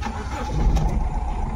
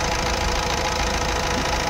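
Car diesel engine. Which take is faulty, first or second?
first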